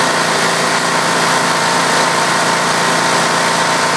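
Single-cylinder engine runs loud and busy with an uneven metallic rattle and a slightly irregular beat; rattle and intermittent misfire, cause unclear.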